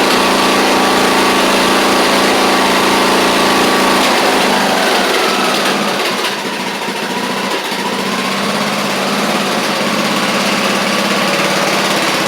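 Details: Craftsman YT4000 riding mower getting an engine swap (original 24 hp Briggs apparently ran low on oil), warm-up run: small single-cylinder steady, even drone at constant speed with no knocks, misses or rattles; runs pretty good, normal running.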